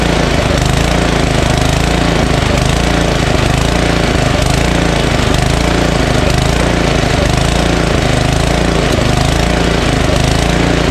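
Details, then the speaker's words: Ariens ST1128 snowblower, 11HP Tecumseh Snow King engine, cold day, full throttle after electric start: loud single-cylinder running with a mild rise and fall about once a second; slight surging, less than another unit, holds idle without stalling. "hey so how about that huh we did nothing to put gas in it and it starts and runs uh surges a little right uh but not as bad as the other one we did the other day"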